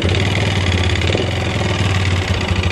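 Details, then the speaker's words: Yamaha Xeon 125 carburetor scooter, hard starting and weak power, no smoke: idling with fast even tek-tek ticking over exhaust beat; engine ticking, mechanic suspects piston. "Nah itu ada suara ceker pedas tapi motornya itu nggak ngebul yo gak ngebul cuman ada suara tek tek tek terus tenaganya agak jeruk bambu ya"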